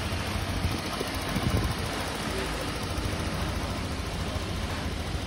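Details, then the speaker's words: Honda Click 125 V2 scooter after overhaul, engine still cold, coolant being bled from the radiator: soft, steady low hum at even idle with the former metallic grinding gone; quiet, healthy engine. "Hindi na siya tunog bakal na nagigiling mga sir. Tahimik na po ang makina niya. Parang brand new na po ulit na manakbo."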